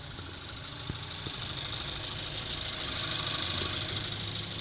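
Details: 02/2018 Mazda CX-3 2.0 PE petrol engine, 6-speed manual FWD, 30,982 km, side-impact wreck at dismantler: quiet, even idle with a faint steady hiss on top, no knocks or misses; engine sounds healthy.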